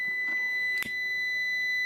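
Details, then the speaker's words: Klixon thermal cutout from a tumble dryer, heated with a lighter while tested on a continuity meter: steady high-pitched meter beep with a sharp click as it trips above its roughly 90 °C calibration; thermal cutout tripping when overheated. "et vous allez entendre le clic et voilà donc il a déclenchée suite à une température trop élevée les résistances sont un dysfonctionnement ont beaucoup trop chauffer"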